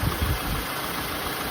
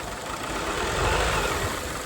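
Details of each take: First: Peugeot 307 CC after P0352 misfire diagnosis, with oil in plug wells, failed ignition coils and a wire found shorting on the engine: steady even idle, smooth low rumble, no misfire or rattle, healthy. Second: Peugeot 307 CC petrol engine just started, running rough and uneven with a stumble about four times a second; codes P1336, P1338, P1339, P1340, P0352; oil in spark plug wells and failed ignition coils found, not the ECU; evens out at 2000 rpm.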